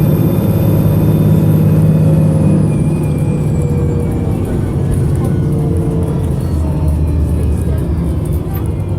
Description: Here we have Arriva North West's 3008, a VDL SB200 which is sounding rather unhealthy with the engine misfiring but with plenty of thrash to get the best out of it!